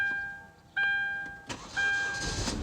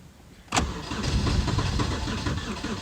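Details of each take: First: Hyundai Sonata towed in as crank no-start, found empty tank from faulty fuel level sensor, now refueled: brief crank, fires straight up into steady idle, no misfire; normal start. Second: Hyundai Sonata crank no start on a cold day, fuel pump current checked okay: starter cranks steadily about six seconds with a lopsided beat, as if one cylinder isn't contributing, never catches; cause unknown.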